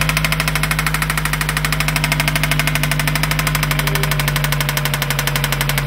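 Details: 2003 Mazda 6 2.3L at steady idle: sharp, even tick-knock roughly three per second riding over the engine; knock present, cause not yet pinned down.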